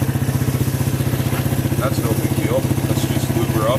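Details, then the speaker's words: Suzuki quad (ATV), idling while checking a rattle: steady, even low thump at about four beats a second with no misses or hunting; it idles nicely and sounds healthy. "wow does that ever idle nice"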